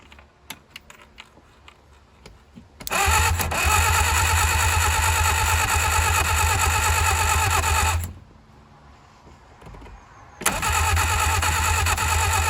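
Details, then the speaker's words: 1959 Reliant Regal Mk5 three-wheeler, first start in over 20 years, after freeing seized starter and cleaning and gapping points, distributor top bearing has play; long cranking that doesn't catch: cranks but won't start, cause suspected, not confirmed. "Seems to be a little bit of play in the top bearing of the distributor that's not helping us out too much. But let's see now what happens."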